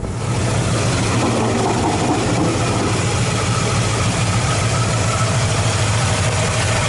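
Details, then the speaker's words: 1986 Chevy K10 V8 with newly fitted 601 heads and Holley 600 double-pumper carb, first start: faint quick ticking over a rough, loping idle; owner hears some lifter noise toward the back; plug wire shielding touches the header. "Here, a little bit of lifter noise. My wire shielding is right up against the header. You're gonna have to hear that."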